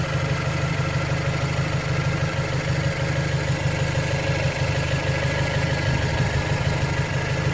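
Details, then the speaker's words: 2008 BMW 116i E81 1.6 petrol, engine light on, code 29D0, before diagnosis: uneven, lumpy idle, though it's unsure whether it is truly misfiring; rough idle. "it sounds rough definitely sounds it definitely sounds a little rough engine"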